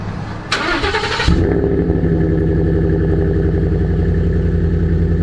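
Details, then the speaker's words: 2016 F-150 Lariat 5.0 V8, 19,000 miles in 14 months, stock muffler replaced with a Flowmaster Delta Flow. Starter cranks briefly, the engine catches and settles into a deep, steady, even idle burble. A normal, healthy start, not too loud and no highway drone. "all I did was take out the stock Ford muffler and put in a Flowmaster Delta Flow, and it sounds like that. It's not too loud, it's not too quiet, and it doesn't drone at highway RPM"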